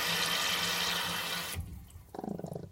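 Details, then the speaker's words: Mansfield canister-style toilet after replacing the broken-down pink canister gasket: rushing refill water cuts off cleanly after about a second and a half, then stays quiet; canister drops back and seals, no longer leaking. "done and you can you can hear your guys it's not it's not leaking"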